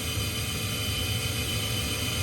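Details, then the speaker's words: Trane gas furnace (XV95/XE80) after storm damage to the control board. The inducer motor gives a loud steady scream over the burner whoosh, audible even with the doors and attic door shut; owner believes it is about to fail. "So you can hear that kind of screaming noise. It shouldn't be that loud. And you can actually hear it even with the covers on, the doors on."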